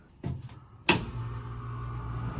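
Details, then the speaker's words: Old commercial Trane water source heat pump, after clearing the clogged condensate drain: a single clunk, then a steady low hum as the compressor kicks on and runs normally. "Heard the compressor kick on. Let that run for a couple of minutes while I put all the screws back."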